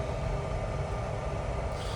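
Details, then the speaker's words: eBay oil burner heater with optical sensor and relay control box, warmed up, after backing off the air when the flame dropped slightly: steady low flame and fan roar without pulsing, popping or surging; burner running cleanly. "So I can hear now that the flame's down slightly, so I'm going to back the air off. And then that'll be it. That sounds better."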